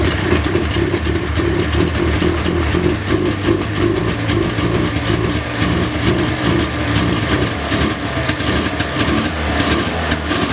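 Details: 1999 Ski-Doo Formula DLX snowmobile with carburetors badly botched by a previous owner: uneven, lumpy, boggy idle that stumbles. Owner suspects it flooded from needless choke; plans to clean the carbs and fit fresh plugs.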